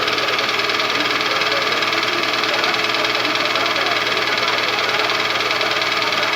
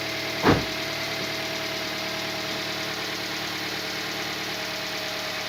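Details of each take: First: Toyota engine (caption says 2AZ, title says Vitz 2SZ) knocking at warm idle: steady metallic knock two to three per second that lessens as it warms but persists hot; piston slap suspected, Dimexide decarbonizing flush did not help. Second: Toyota Vitz 2SZ engine first start after repair of a knock that persisted when hot, belts not yet fitted: even, soft idle with a steady hum and no tapping or knocking; runs smooth and healthy.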